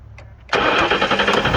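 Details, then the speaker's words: 1998 Ford Explorer, first start after replacing the belt tensioner: quick crank, fires cleanly and settles to even idle, no knocks or squeals; healthy start, car back on the road. "And just like that, I got my car running again. I'm back on the road."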